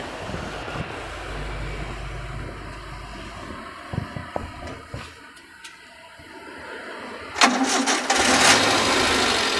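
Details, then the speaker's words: 2005 Suzuki Carry Futura pickup, used-car check, start and idle: engine cranks briefly, catches straight away and settles into an even idle without stumbling, no metallic noises even when revved; healthy start. "kondisi mesin stasioner sosok suaranya masih langsung masih enak nggak pincang kalau kita geber kalau kita geber pun dia masih suaranya masih enak jadi nggak ada suara-suara aneh-aneh kayak metal gitu lah ya"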